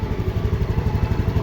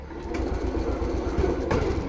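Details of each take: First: TVS Jupiter BS6 scooter idling after a starting and stalling fix: a stuck ISC valve found as the cause; test-ridden 5–6 km. A steady, even low putter with no misses or rattles; normal idle. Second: TVS Jupiter BS6 scooter before repair, with hard starting and stalling; it started only after a new spark plug was fitted. Small buzzes at idle while the revs rise and sag every second or so, unsteady. Mechanic suspects a stuck ISC valve built into the ECM.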